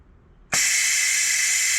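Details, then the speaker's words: Bus 1410 "Brutus", newly fitted 24V Parker fan drive solenoid: sudden steady sharp hiss of compressed air leaking from its top, stopping when voltage applied; solenoid was installed the wrong way round and then reversed. "Well, just when I thought he was home free, I got an interesting new leak from the top of it. Now my guess is, now check this out. As soon as it sends voltage, it stops."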